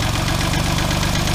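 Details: '97 Geo Metro engine, startled back to life: rough idle with a fast steady ticking knock under the exhaust throb; knock at idle, cause not yet found (spun bearing suspected, not confirmed).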